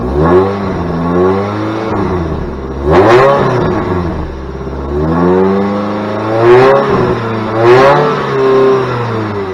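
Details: Saturn Ion Redline after patching exhaust pipe hole with JB Weld wrap (not fully cured): engine blips up and returns to idle several times, exhaust note stays even with no puffing or ticking; no major leak.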